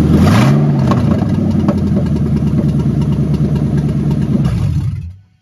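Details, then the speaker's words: Ford Mustang GT on its first start-up after an engine-harness swap, open exhaust manifolds with no mid-pipe or cats: the V8 catches at once and settles into a loud, even burble for a few seconds, normal idle. "and so that was an instant success I'm very excited about that that turned out great"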